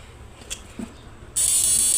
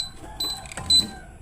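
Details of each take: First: Modified Samus 988 Plus ultrasonic inverter with a universal PWM driver, running a 1000 W lamp load: steady high-pitched electrical buzz that holds under load with no crackle or dropouts; quiet, strong output, normal healthy inverter. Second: Samus 988 Plus ultrasonic unit tested with leads clipped to a foot: short high-pitched chirps in quick bursts, no fan, beeping into protection and refusing to start; unclear whether it needs a remote to start.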